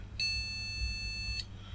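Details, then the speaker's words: MSI Z270-A Pro motherboard from a faulty mining rig, not booting: a single long, steady, high beep of about one second at power-up, a POST code; a RAM problem is suspected, unconfirmed. "sounds like it's got a ram problem"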